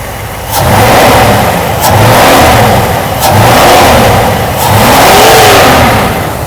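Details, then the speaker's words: Mercedes W126 560SEC V8 after fuel distributor, injector and oil service, revved from rock-solid idle to high speed with deep even lion-like roar, no misfire or knock; healthy, high fuel flow readings. "V8 engine, the flow meter is sharp. The readings are so high. It sounds like a lion roaring."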